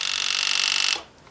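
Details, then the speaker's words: Normal priming buzz from a newly replaced fuel pump on a 1991 Yamaha FZR1000, tested with no fuel hooked up; a steady high-pitched electric buzz for about a second, then a clean cutoff. "all that's left is to test this we have the replacement wire and what i'll do is i just want to hear that buzz there it"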